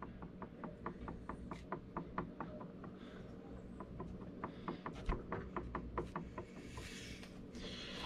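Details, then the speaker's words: Homelite chainsaw being serviced before giveaway: crank rocked by hand gives light knocks about once a second, parts audibly moving inside; loose play from a worn bearing, to be fixed. "because i can wiggle this and you can actually hear the stuff in there moving"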